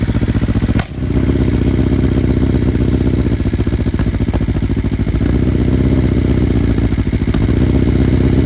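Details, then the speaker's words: 2020 BMW S1000RR (K67) on stock software, true cold start: high idle with lumpy, uneven exhaust beat and irregular stumbles, stalled and restarted; one cylinder dead from a failed ignition coil. "so obviously you can hear that one of the coils just shot"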